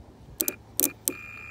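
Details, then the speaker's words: 4-pin air compressor relay from a Mercedes S500 on the bench after cleaning corroded 30–87 contacts, 12 V on 86 and ground on 85: sharp clicks pulling in and dropping out, then steady continuity beep; switching normally. "can hear it clicking over. You can also hear the continuity tester or the voltmeter. Showing that we have continuity."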